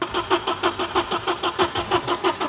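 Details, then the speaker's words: Old Volvo not started in 10 years, ignition cycled to prime the fuel pump: rhythmic starter churning that never catches. The injector rail is to be removed next to check fuel delivery; cause unconfirmed. "no no okay so with jeff putting up a better fight than we expected the next step for us is to take out the injector rail to make sure that the fuel is actually being squirted in"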